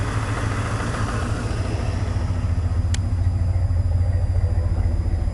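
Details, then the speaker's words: 1990 Chevy K5 Blazer, 350 5.7 V8 originally TBI with Crane cam, just started and cold; deep, even rumble with steady firing, no knocks, misses or rattles; healthy cold idle, running great. "like I said she's still cold but she's still running great man let me tell you"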